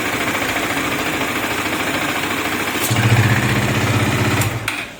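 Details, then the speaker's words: KTM Duke 250 after rebuild with new oil, oil filter, rocker, timing chain and camshaft: even, steady single-cylinder idle that deepens when the exhaust is blocked by hand, no ticking or rattle; runs healthy. "आपने आवाज सुनी गाड़ी बिल्कुल silent हो गई है इसमें कोई भी आवाज नहीं है"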